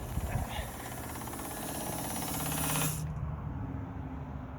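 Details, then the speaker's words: 1976 Datsun 280Z, sitting four or five years after a fuel pump failed, key on: steady whirring buzz about three seconds then clean cutoff, fuel pump priming normally; checking pressure gauge, no leaks so far. "I heard it Prime we'll do it again get some pressure look for leaks none so far it sounded okay"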